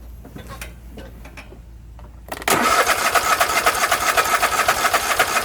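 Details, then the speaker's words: Husqvarna YTH24K48 lawn tractor cranking with fuel line pulled off pump outlet: quiet clicking then steady cranking about four strokes a second, never catches; no fuel from pump to carburetor, possibly clogged tank line or fuel filter. "well that's a major find right there there's no fuel coming out of that pump it's obviously not getting fuel to the carburetor"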